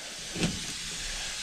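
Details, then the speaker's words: 1957 Autocar truck on its first start since 2004, heard from the cab: a steady loud hiss of escaping air with a brief puff; owner suspects a leaking tractor or trailer control valve in the air brake system. "got a loud what is that that seems to be a tractor control or a trailer control valve leaking"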